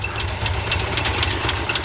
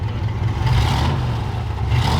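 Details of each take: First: 1969 Ford F-250 with a believed 390, sitting 21 years, running on old oil at 40 psi with exhaust exiting straight out of the muffler, fuel supply faltering. Quick, light ticking about four times a second over a steady idle: judged not an exhaust leak, a noisy lifter. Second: 1969 Ford F-250 four-door long bed, believed 390 V8 with 4-speed, revived after sitting 21 years: lifter noise has quieted and hard blips rise and fall cleanly with no knock or miss, with slight smoke from penetrating oil in the cylinders. Healthy rev.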